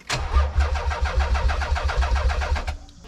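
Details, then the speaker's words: Nissan 300ZX Turbo (92) with a swapped twin-turbo engine, igniter not yet plugged in: steady starter cranking at about three to four compressions a second with no firing, then it stops; cranks but won't start. "However, we at least got it to crank now. Step in the right direction."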